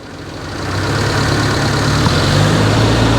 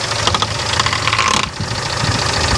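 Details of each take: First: 1995 Daihatsu Feroza after oil pump replacement, fully hot, held at 3000 rpm: smooth steady hum with no knocks or ticks, oil pressure 36 psi within the 36–71 psi spec; healthy. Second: 1995 Daihatsu Feroza first start after oil pump replacement: fast light ticking slaps over the idle, keeping pace with engine speed, as the fan blades clip the long oil pressure gauge line wrapped in front of the fan.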